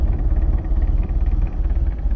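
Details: MerCruiser Alpha One Gen 1 3.0 L 181 cid 140 hp boat engine idling after a tune-up with new cap, rotor, points, condenser, plugs, wires and an oil change: deep, even, rhythmic burble with no skips. It fired right up with no leaks, a normal idle.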